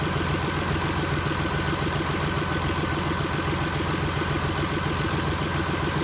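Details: 2001 Chrysler LHS 3.5L V6, rebuilt without replacing hydraulic lifters, idling just after adding TriboTex oil additive: even idle with light intermittent top-end ticking pointing to tired original hydraulic lifters.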